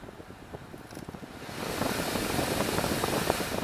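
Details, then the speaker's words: 2003 Honda CR-V, key on accessory, after replacing blower motor resistor: few faint clicks then fan spins up into steady even air rush; normal blower operation. "It works, guys. I don't know if you can hear that, but it's actually working."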